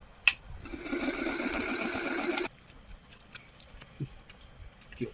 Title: Ceiling Fan Sound Problem Repair At Home | Ceiling Fan Bearing Replacement | NS Electric